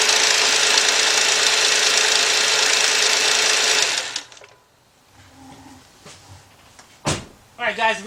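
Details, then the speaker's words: 2.7 V6 (2008–2010 Chrysler 300/Sebring, Dodge Avenger/Charger) at idle: a harsh metallic rattle about four times a second from the front timing cover area; timing chain or tensioner suspected in this interference engine, so it is shut off quickly. "yeah but it's rattling now guys and probably when the idle go count you hear more and guys it sounds like it's coming from the front half the timing cover"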